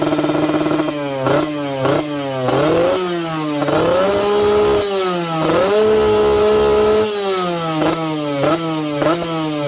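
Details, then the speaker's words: Customer's RR150 two-stroke built up by the shop, exhaust review: crisp throttle blips rising and falling cleanly, about four a second at times, with a ringing, fairly quiet exhaust; engine revs freely and healthily, described as quiet. "Kalau ikutkan motor ni bunyi dia memang senyap lah. Kalau owner dia dapat memang puas hati lah."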